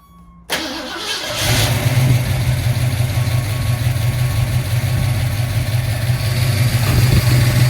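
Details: 1971 Ford Torino 351 Cleveland after 17-inch cooling fan upgrade: starter catches quickly, settles into a smooth, steady V8 idle with a rush of fan air and no rubbing or scraping.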